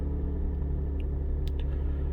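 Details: Lexus IS200 after ignition coil replacement for misfires; smooth, even low idle with no stumble or skipped beats, and the ELM327 scan shows zero misfires on all cylinders, so the coil swap fixed the problem.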